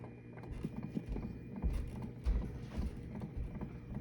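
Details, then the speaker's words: 1970s Zenith turntable radio, model JR596W, chassis 15WJR29, whose hardened grease had seized the motor and platter until oiled. Soft, uneven low thumps about twice a second while the platter turns; owner suspects too little tone-arm weight. ">> Yeah, you can hear the lumping. I don't know. >> Oh, wow. Okay. Clearly, we don't have enough weight on the arm or something."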